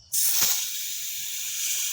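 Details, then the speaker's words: Filling a trailer tire past 44 psi toward 49 psi; sharp steady hiss escaping at the valve because the chuck isn't seated as tire pressure pushes back; air chuck leaking at valve stem. "Oh, you're leaking a bit there. It's going to want to push back more because there's more pressure in the tire now."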